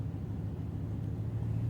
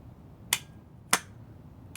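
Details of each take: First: Known-good starter pulled from a 2003 Honda Accord, bench-tested for comparison: continuous even low hum with no grinding or dropouts; how a healthy starter should spin. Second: Starter removed from a 2006 Honda Accord LX, bench-tested: a few clicks, then a high whir that fades and stops after about three seconds; the starter runs briefly then dies, so it is faulty.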